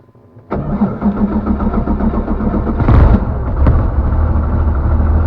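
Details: Van's RV-7 aircraft with ULPower 520iSA engine and Airmaster propeller, cold start: fires within half a second, brief rev, then settles to a strong, even idle with no stumbling; oil pressure okay, a clean, healthy start.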